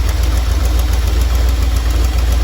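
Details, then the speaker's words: Either the 1977 Dodge Ramcharger 440 or the 1968 D-100 318 V8, cold and warming up: a deep, slightly lumpy, uneven idle with good oil pressure. The owner thinks warming up will help and plans a compression blow test. "we have good oil pressure obviously sounds like it's running a little rough I could use a good warming up"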